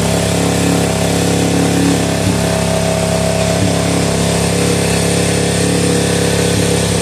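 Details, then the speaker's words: Suzuki DRZ400E revived after sitting, carburetor rebuilt, initial startup: steady, even thumping idle with no misses or knocks, going straight to idle; idling cleanly. "told you it sounds good sounds real [Music] good look at that straight to idle"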